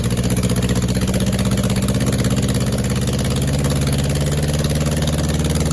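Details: First run on a test setup of a freshly rebuilt 2270 engine (heads, align bore, rods, balancing) after an oiling problem took out a main bearing: steady, even low thrum at fast idle, no knocks or rattles; healthy and smooth.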